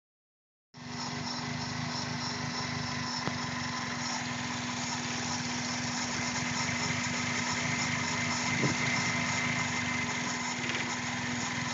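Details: 2001 Toyota Corolla with code P0300: an idle with a faint, uneven stumble of about three to four beats a second over a buzzy background; random misfire.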